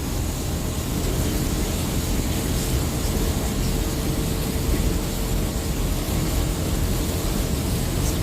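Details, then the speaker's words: Car at 55 mph on the highway in rain: thin steady squeal over heavy road and rain noise from the wet serpentine belt slipping; "squealing like a stuck pig." "Yeah, my belt's wet. It's squealing, hear it?"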